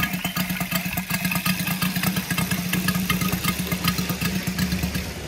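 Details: Brand-new Saito FG-73 five-cylinder radial, fully upgraded with MMM hardware, on a Biela 20x10 four-blade prop. It restarts at low idle with an even pulse near three beats a second and a clear prop drone. Normal smooth idle.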